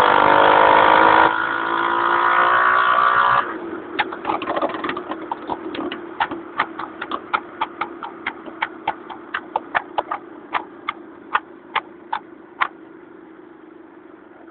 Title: honda cub misfire when moving